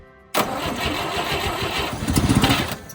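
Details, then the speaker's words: 1958 Chevy Apache truck engine, sat for decades, in neutral with a little fuel primed into the carb (fuel jug leaking): cranking catches into a few seconds of ragged, uneven firing, then dies; it wants to start on prime only. An open oil line leaks. "Ooh, she wants to start. Let's go. That's promising."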